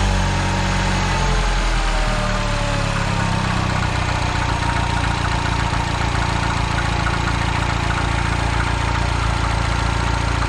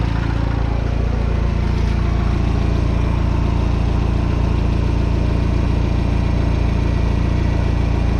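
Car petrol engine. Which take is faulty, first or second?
first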